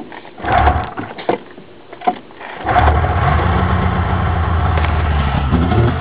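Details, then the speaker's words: 1996 Polaris XLT 600 two-stroke snowmobile, cold start without choke after sitting two weeks following rebuild and tune: three quick pulls, catches on the fourth and settles into a steady even idle, a clean well-tuned start. "this thing has been running in i don't know two weeks you can't fully choke it because the [ __ ] flood out that's how a well-tuned sled should start"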